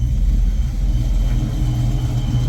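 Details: Supercharged 1995 Mustang GT (Paxton Novi 2000 at 8 psi, GT40 heads, roller cam, long tubes) warm after about 20 minutes on fresh 20W50 VR1 plus Lucas. Oil pressure is about 20 psi at idle, up from 10–12. Deep, even idle with no ticks, knocks or misses; normal.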